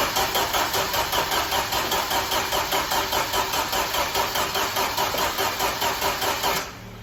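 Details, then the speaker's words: 1995 Jeep Wrangler YJ engine after 18 months sitting; the spark plug came out bone dry with no fuel. Even starter cranking at about 2.5 beats per second with no firing: cranks but does not start, cause not yet confirmed. "No dice. Let's take out the plug and see if we got any fuel in it now. All right, guys, still no dice here."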